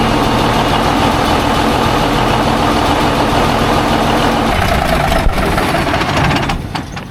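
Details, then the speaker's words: Heavy diesel rig run about half hour, fully warm, thermostat open at 175-180°F, held at about 1200 rpm then idled with 35 psi oil pressure: steady even chug then dies away, no knocks or rattles; normal running. "It's been running for probably half hour. It's all up to temperature, thermostat open. It's running about 175, 180."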